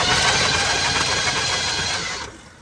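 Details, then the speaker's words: 1979 Chevrolet C10 pickup V8, long-dormant revival, started without a key: even, brisk starter whirr with steady spin, no grinding or clicking, then winds down; starter works, normal cranking before a spark test. "What? It sounds good, too. Yeah, it's not laughing. All right. >> Starter's good. Starter works."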